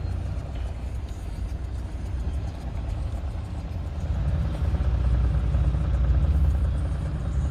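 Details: Deep diesel rumble from the engine bay of an Audi A4 3.0 TDI (218 PS) with an uneven rattle about three per second that swells as revs rise; defective oil pump.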